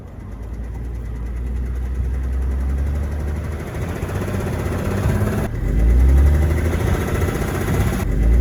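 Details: BMW 7 E65 with M57N diesel at idle and while driving: deep idle with an irregular low knock two or three times per second under the clatter; rod bearing knock, caused by a worn bearing shell on cylinder 5.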